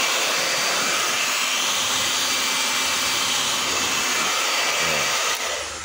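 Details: Hair dryer that had been running slow, after being opened and reassembled: steady, strong airy rush with an even motor hum and no rattles or surging; the dryer is running normally.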